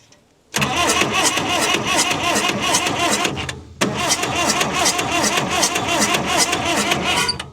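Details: Engine cranking on the starter with an uneven chug, roughly two to three beats a second, without firing; it cranks but won't start, with blowback through the intake between suction; owner suspects a bent intake valve or internal engine fault.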